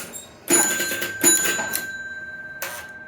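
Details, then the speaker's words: Captain Kidd EM pinball shooter: on credit-up the score reel resets to 0 with sharp relay clunks and a bell chime, then immediately adds 10 points. The 10-to-90 unit release coil, which lets the reel move, is being investigated; cause not yet confirmed. "It's going to reset to 0 and then immediately give 10 points."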